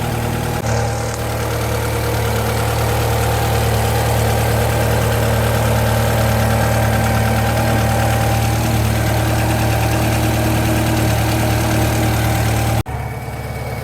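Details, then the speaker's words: Japanese-import Alfa Romeo 145 Cloverleaf, nearly 25 years old, warming up, thermostat just opening: smooth, even idle hum at constant low pitch, no knocks or misses; engine and cooling system judged okay. "So now we know the engine's all okay and the cooling system's all okay."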